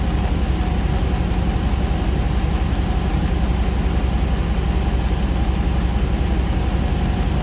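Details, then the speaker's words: 2009 Ram 1500 Hemi V8 first start after months of rebuilding: smooth, even low rumble with steady beat, no knocks or misses, condenser fan kicking on, no new trouble codes; normal idle. "I'm gonna let go ahead and let this run for a little bit and then I'll I'll bring it back but so far so good we're not seeing any new dtcs"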